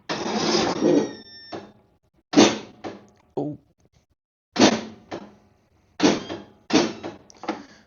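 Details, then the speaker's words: Small-engine lawn mower no-start: irregular harsh clattering bursts while cranking, each fading within half a second, engine never catches; owner suspects a bad starter and plans to inspect the starter gear. "Now it's making another new weird noise that I've never heard before. Whoa, is your mower not starting and making a weird noise?"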